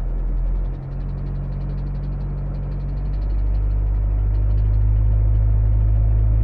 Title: 2000 Mitsubishi Eclipse bad engine sound